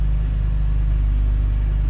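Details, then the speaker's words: BMW E39 528i six-cylinder, first start after replacing dual VANOS seals and anti-rattle kit: steady low rumble, idle holding evenly with no dropping; before repair it had poor, dropping idle. "So let's see what we got. No dropping idle at the moment."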